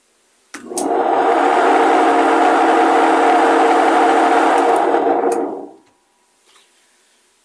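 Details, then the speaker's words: Admiral/Maytag washer during spin test: a loud, steady droning hum for about five seconds, then it coasts down. The tub bearings are worn and need replacing. "lo que nos damos cuenta ahorita es que el balero está haciendo mucho ruido zumba mucho al exprimir entonces si tendrán que cambiarse"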